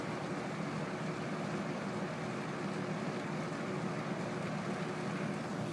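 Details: Rex Air Controls window fan with a new 1/4 hp two-speed Emerson motor on low, replacing a Westinghouse motor with shot sleeve bearings; spherical bearings shimmed with rubber gasket strips. Steady soft whoosh, even hum, no ticks or rubs; normal running.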